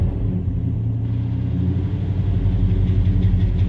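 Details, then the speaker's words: Truck that starts and idles fine but runs lopey at light throttle: deep low rumble with uneven lope about three pulses a second; owner suspects throttle position sensor, also wonders about vacuum leak. "but if I give a little bit of throttle I don't know if y'all be over here but sounds like has a cam in it which it's pretty cool but it shouldn't be doing that"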